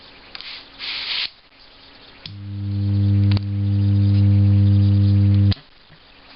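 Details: F&D active speaker with a faulty TDA2030 amplifier chip (14-18V DC on its output): a loud, steady low hum swells in at power-on and drones evenly until switch-off.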